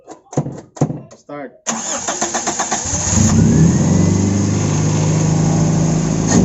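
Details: Toyota AE92 with 4A-FE engine on a carburetor, being carb-tuned; several short stop-start cranks before it catches and revs, then settles into a rough idle; hard starting.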